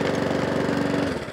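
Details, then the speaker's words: Mountfield 414 lawnmower with RS100 OHV engine, low on fuel, drive system tested; steady even pulsing at constant speed, no hunting or surging; normal running. "let's just see what we do and we test the drive system yeah it works no honey no surging"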